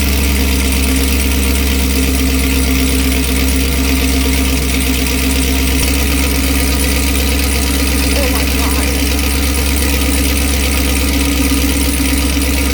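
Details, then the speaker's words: 2018 Chevrolet Camaro ZL1 with NPP valved exhaust, cold start idle with one muffler removed and set to touring mode: a very loud, deep, raw, unmuffled exhaust drone. "okay yeah that's pretty loud all right well honestly couldn't even tell that I put it in uh touring mode at all"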